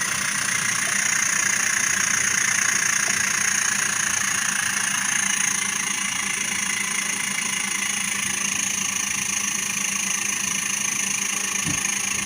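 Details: Samsung double-door inverter fridge compressor running after its PCB was repaired. Steady, even electronic whine with a faint low hum and no knocks. Normal running.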